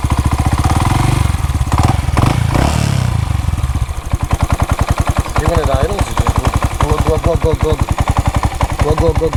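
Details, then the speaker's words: Grom at idle, louder than usual: low rapid idle pulses carry an irregular mechanical knock with clatter. The valves were checked at top dead centre and looked fine; the owner suspects a sloppy cam chain or a low-end bearing, source undetermined. "i it could be a chain you know getting sloppy in there causing a valve"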